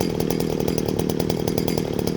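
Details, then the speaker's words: Jonsereds 451EV two-stroke chainsaw after carb cleaning and adjustment, holding a high, crisp, even buzz without surging or stumbling; chain oiler works; normal running, seems strong. "I don't know, seems to run pretty damn good to me. Seems strong."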